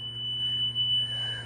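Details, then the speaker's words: Golf cart with Trojan T105 batteries put in reverse, backup alarm unmuffled after previous owner taped it; steady high-pitched tone over faint low hum; normal backup alarm. "so you can kind of hear it. It's a safety thing, so the campground's going to kind of want to make sure it's somewhat loud so people can hear you backing up."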